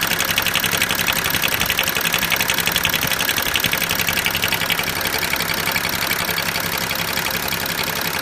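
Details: BMW 335d diesel at idle with the oil filler cap removed: rapid, fairly even ticking rattle on top, roughly two beats a second.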